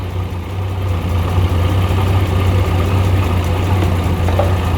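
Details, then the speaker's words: 1989 Jeep Comanche 4.0 automatic, jumper box disconnected to test alternator: smooth, even low idle hum holding steady five seconds without stumbling; alternator working, idles fine. "Alternator, I'm gonna check right now by disconnecting the jumper box. Okay, alternator is working, but it does not need this battery to run."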